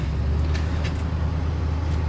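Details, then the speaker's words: 1966 Ford Country Sedan wagon with FE big-block V8, after a C6 transmission swap and new starter, cold start early morning: starts right up into a low, steady rumble with no grinding. Normal cold idle, and the new starter is much quieter. "Starts right up. Pretty nice. Much quieter, too. The new starter's a lot quieter."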